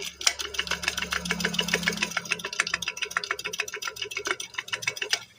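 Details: Fast irregular ticking and rattling, about two clicks a second, over a light motor hum from a noisy, dry-sounding high-speed ceiling fan; the bearing is suspected, not confirmed.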